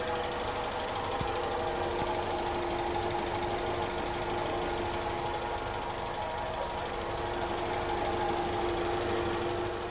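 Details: Honda CR-V first generation at steady idle: constant mid-pitched whine and hum over engine and cabin, unchanging, caused by incorrect ignition timing set at the distributor.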